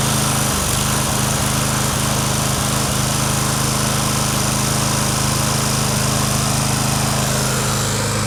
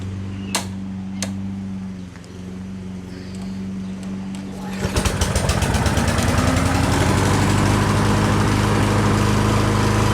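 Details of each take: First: Lawn Boy push mower, just running again after a carb clean, with the handle released: the engine keeps running with a harsh high screech and won't shut off until the mower is tipped further over. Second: Lawn Boy push mower after fitting a new flywheel brake pad to fix it not shutting off: engine fires, runs at a steady even buzz, then winds down cleanly when the brake engages; pad expected to break in.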